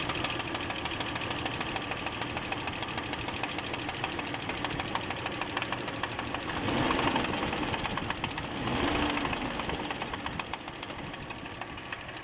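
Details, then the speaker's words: Audi A6 C5 2.8 engine at idle, oil pressure 1.5 bar: steady light knock about three raps a second from the bottom end, not in the heads; not clearly rod bearing, owner suspects wrist pin or piston, unconfirmed. "Не совсем понятно что за стук на Шатун не очень похоже что-то больше похоже как будто палец в шатуне что ли либо с поршнем что-то что-то сверху вроде как в головах не слышно стука больше снизу"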